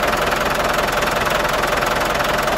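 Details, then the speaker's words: Diesel at idle: rapid, rhythmic chuffing out of the crankcase breather. Owner suspects worn piston rings are letting compression into the crankcase and plans to try a metal-restoring additive; not confirmed. "coup elle à la compression qui passe dans le bas moteur ça ressort par le rni plat et de grandes chances"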